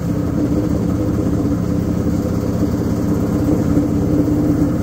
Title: Washing machine noise